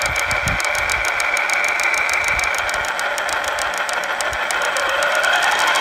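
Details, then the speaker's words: Losi Lasernut U4 RC truck, before the front differential was pulled: growing drivetrain clicking. Rapid sharp clicks about three a second over a high motor whine; pinion bearings fine, but the front diff moved back and forth with a loose ring and pinion mesh. "Well, we decided to pull the front differential out to try to determine what that clicking noise is."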